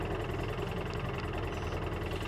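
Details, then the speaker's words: 2013 Polaris Ranger with engine code 651 and low power: uneven, stumbling idle with one cylinder dropping out and engine light on, tone changing as the injector wire moves; misfire from broken injector electrical connection. "all right with the engine running we can see that we have our engine light and we can hear that engine is missing"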